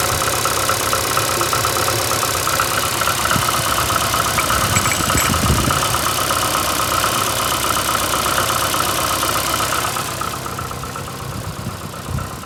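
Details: VAZ 2115 8-valve four-cylinder idling: uneven light tapping with a faint rubbing hiss over the hum. Appeared after cylinder-1 head gasket failure and antifreeze/5W40 oil change; valves adjusted 3 months ago. Knock source unknown.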